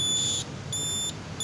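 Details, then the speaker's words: Yamaha LC135 V5 (Jupiter MX 135) 2019, aftermarket 12 V DC buzzer wired to the signal relay: shrill high-pitched beep cycling about every two-thirds of a second while the turn signal is on, reminding the rider to switch it off; closing its cover makes it quieter. "ini untuk yang pelupa lah, yang nak ada bunyi. Dia boleh diperlahankan bunyi dia lagi ni. Kalau kita tutup dia punya cover lagi, dia bunyi lagi perlahan. Ini untuk yang lupa nak off signal."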